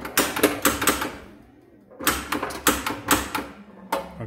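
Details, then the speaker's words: Gottlieb Haunted House pinball after replacing the bad pre-driver transistor (it had locked on the main transistor and burned the coil): sharp clacks in quick bursts as drop targets fall cleanly; coils fire normally, fixed. "so three of them dropped now let's end the game boom there it goes baby and it's fixed"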